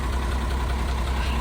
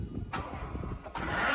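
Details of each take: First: Truck that wouldn't start on a wet day, suspected flat battery: a deep, even low rumble with no misses or knocks at steady speed; the engine has caught and idles normally. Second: Truck that would not start on a rainy day, owner assumes a flat battery: starter turns the engine over in short bursts but it never fires; cranking, no start.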